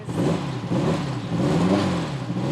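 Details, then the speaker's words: 1969 Dodge Charger with factory V8, which previously cranked but would not fire, after repair: engine picks up cleanly through repeated blips, revs rising and falling smoothly with no stumble; runs healthy. "Yes! That sounds great. Amazing."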